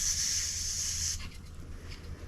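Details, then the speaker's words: Old Coleman camp stove unused for decades, cap on and tank pumped with air: opening the valve gives a steady high hiss of escaping air for about a second, then stops; tank holds pressure and valve passes air, so it probably works. "open the valve and see if we hear anything so i don't know if you can hear it but i definitely heard"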